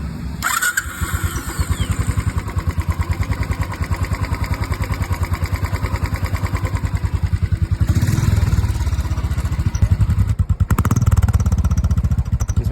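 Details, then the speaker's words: Royal Enfield Classic 500cc single after replacing tappets that had play and caused tick-tick noise: even idle thump with small throttle blips, no top-end tapping; ticking gone, valve train quiet. "टेपिट की दिक्कत थी जो टेपिट अपन ने change कर दी है वो टिक टिक की sound इसमें बिल्कुल खत्म हो गई है। जीरो साउंड है एकदम।"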